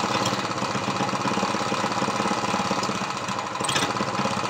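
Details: Ex-lawnmower Briggs vertical single converted to horizontal with an oil splasher; valves lapped and adjusted, but compression is only 60 psi and it leaks oil and carb fuel. First run: busy, ragged, lumpy clatter at fast idle, running rough.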